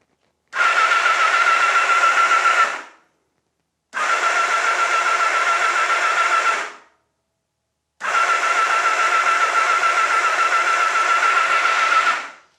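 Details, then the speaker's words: Honda Nighthawk with spark plugs out: three bursts of fast, even starter whirring, two to three seconds each, no stumbling, run on and off to circulate old oil and build oil pressure; healthy normal cranking. "Okay, that sounds really healthy actually. It smells disgusting because it's pushing all that old stuff up and around through the pistons."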